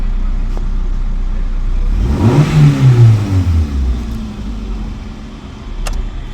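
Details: Hyundai i10 after clearing P0301/P0304 cylinder 1 and 4 misfire codes, check light now off, rpm settling from high to low: engine revs up cleanly and settles to idle with no stumble or miss; fault suspected at the spark plug.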